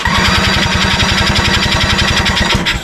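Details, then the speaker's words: 1987 Honda 3813 lawn tractor abandoned for years, with throttle cable broken and radiator fan and clutch not installed. Spark present, plugs dry, starting fluid added. Fast, even chuffing while cranking; it never fires and air pushes back out. Timing suspected. "see how it's pushing it out that's definitely a timing issue that's not good"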